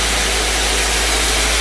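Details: 1956 Cadillac Sedan DeVille V8 after exhaust manifold gasket, generator, regulator and belt replacement: smooth, even idle with low steady rumble, no knocks, ticks or belt squeal.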